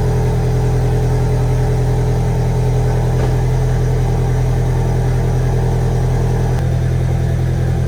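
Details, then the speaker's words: VW 1.8T engine first start after rebuild, turbo oil line unplugged: uneven, slightly stumbling idle with lumpy low beat over steady drone, sounds like misfiring. "at least sounds a little weird almost like it's like misfiring a little bit"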